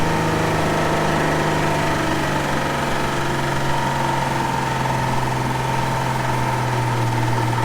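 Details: Old Ford six-cylinder restarted after being killed by sand and water ingestion: rough, uneven idle with irregular knocking under the rumble, sagging as if about to stall; internal damage from the ingested sand and water.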